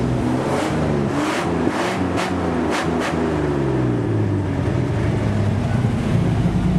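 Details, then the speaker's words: 1963 GMC six (B6) just brought back to life, brakes not yet bled: steady, even low rumble with no knocks or misses; running smooth and healthy. "oh she are running good man that's what a good running GMC sounds like B6"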